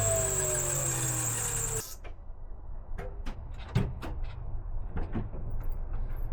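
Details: Offroad Nissan Micra K13 that has sat parked for over a year. The auxiliary belt gives a shrill, steady squeal whose pitch droops for about two seconds and then cuts out: a slipping belt that is due for replacement.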